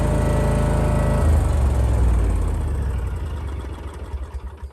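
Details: Hustler ZTR mower after very difficult belt install: strong even engine drone with steady firing, winding down smoothly at shutdown; no belt squeal or slapping, drive healthy.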